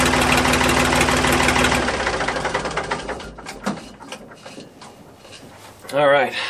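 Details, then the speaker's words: A Ford 555 backhoe's three-cylinder diesel, run with the exhaust off, gives a steady, even clatter and a raw exhaust bark with no extra valve tapping, then shuts down. This is after a valve lash adjustment; the valve train now sounds normal. "about you but that sounded pretty good to me"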